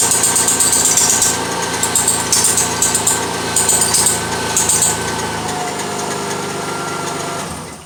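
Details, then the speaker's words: 1992 Lexus ES300, engine running, steering wheel turned: high chirpy squeal pulsing about four times a second from the front, suspected loose power steering belt (rear of two belts). "they turn the steering wheel they hear a clicking like a squeaking noise"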